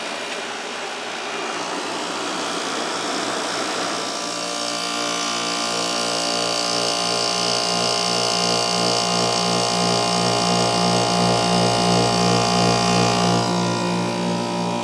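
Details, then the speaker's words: Amana CoolZone 6,500 BTU window air conditioner with rotary compressor, 720 W max, fan stalled to hear only the compressor; after startup settles into smooth, even hum of steady pitch, no knocking or rattle. Normal compressor run. "I'll fix that. Let me stall the fan so we can just hear the compressor here."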